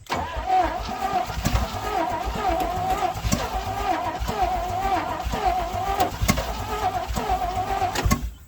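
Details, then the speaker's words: 1967 Chevrolet C50 truck, sat about nine years: steady rhythmic starter cranking about eight seconds after gas poured down carburetor vent, engine never fires; cranks, won't start. New accelerator pump barely dribbles; governor suspected of holding blades. "well i don't understand i put a brand new accelerator pump in it and it's just barely dribbling out huh"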